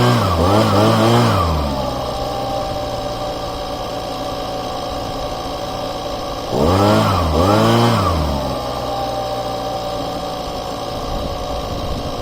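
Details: Husqvarna small two-stroke after replacing crumbled fuel lines, first start-up: starts, blips twice with quick rise and fall in pitch, then settles to a steady, even idle; runs healthy.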